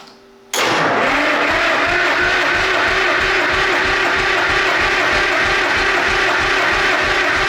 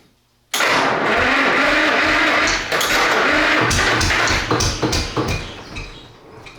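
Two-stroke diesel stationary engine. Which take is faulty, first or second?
first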